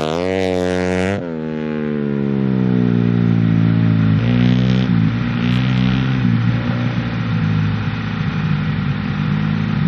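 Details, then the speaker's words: Small single-cylinder bike ridden on a frozen lake revs hard and climbs, then the pull breaks up with brief choppy cuts at about 6000 rpm, like a two-step limiter; cause unknown, could not be fixed on the dyno. "well uh the bike is not really happy it has this like stutter at like 6000 rpm it almost sounds like two-step and uh we couldn't get it fixed on the dyno"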